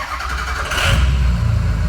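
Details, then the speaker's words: Ford 6.0 Powerstroke diesel, slightly warm shop: brief crank, fires within a second and settles into firm low rumble; quick start is what to look for, slow start may point to high pressure oil leak. "right, you guys see how that fired up very, very quickly? That is what you're looking for on a 6-liter. You want quick fire up."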